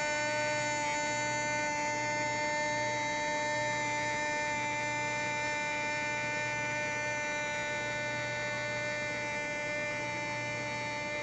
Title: Luxman Receiver RX-103 Automatic Door Humming Sound